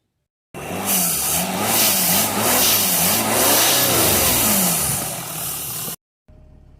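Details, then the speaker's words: Jaguar XF 3.0 TDV6 diesel in limp mode with power loss and a blocked DPF: it revs with a loud airy hiss. A boost leak at an unseated intercooler pipe clip was found, blamed for the DPF failure, and refitted. "sure if you can see that outside but there's an air leak we've detected so that would be the cause of the dpf failure"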